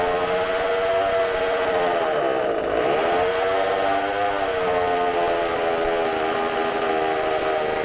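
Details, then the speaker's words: McCulloch supercharged chainsaw, bench test on tank fuel: a high, screaming whine held near full throttle, briefly dipping and recovering, with supercharger sounds. It runs strong and clean and burns fuel very quickly with no fuel blowing out. "That sounds fantastic. Woo! You're gonna hear me a lot of wooing and stuff because I'm shaking, but that runs fantastic."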